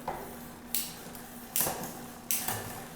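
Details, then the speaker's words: Newly assembled XF650 bike, pre-ride derailleur adjustment; sharp metallic clacks about every 0.75 s with brief chain rattle while shifting, improved after half-turn tightening of loose gear cable but still noisy, needs more quarter-turn tightening. "that was a lot better it's still making a little bit of noise so i'll tighten that up just a little bit more"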